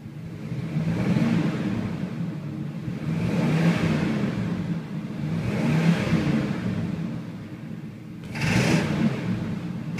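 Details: 1978 Chevy K10 V8 blipped repeatedly from idle: rough knocking rattle under the deep rumble, knocks going from idle to wide open or under load; engine knock under load.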